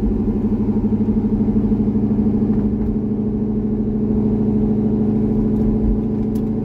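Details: C6 Corvette V8 after an aggressive camshaft and long-tube header install, on a revised HP Tuners idle tune (about 80% done): deep, steady burble with an even pulse, no stumbles or hunting. Normal idle.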